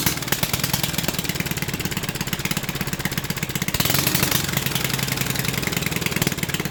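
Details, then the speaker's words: 1974 Briggs & Stratton 8hp 190402 single-cylinder revived from scrap: a fast, even popping beat held steady at high idle; it revs high, possibly from the old carburetor hanging up, and it needs a new carburetor and an oil change. "But, you know, enough talking. That's low idle. Wait a minute. That's high idle right there."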